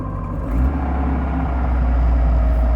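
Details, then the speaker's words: Triumph TR7 5-speed, warm, in neutral with the clutch pedal out: deep steady drone and hum from the gearbox that grows louder as revs rise and stops with the pedal pressed; gearbox noise. "let go to clutch pedal 3 2 1 so that's the noise everybody Vance and Steve and everybody press the pedal in does affect RPM's a little pedal in see there's a little load on it"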